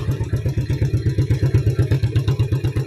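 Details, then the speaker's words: Yamaha Vega ZR burning over half its oil in a month, idling: loud regular lumpy thumping; rough noise possibly from worn cam chain or valves, later attributed to stretched cam chain and worn camshaft, rough idle. "ya untuk suaranya seperti ini terdengar ada suara kasar juga Kang Bro Ada kemungkinan berasal dari area rantai keteng ataupun klep bisa jadi ya"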